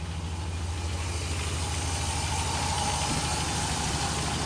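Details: 2003 Dodge Ram V8 (engine rebuilt 5 years ago), started hot after replacing the radiator with a used one and fresh coolant: a steady low rumble settling into an even idle with a faint hiss. Healthy and smooth.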